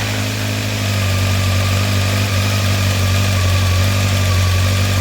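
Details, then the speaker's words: 1993 Honda CBR900RR California spec four, after new copper header gaskets and carb cleaning, warming up before carb sync, still smoking off old crud: smooth, steady hum but idle a little high. It will be turned down. "we're going to turn down the idle a little bit island a little bit high"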